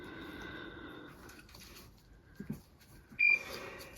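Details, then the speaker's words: LVAD heart pump controller during a dressing change: a single sharp, high-pitched beep in a quiet room; warning that the batteries need changing. "That beeping is my LVAD telling me I need to change the batteries. But as you can see, I can't leave."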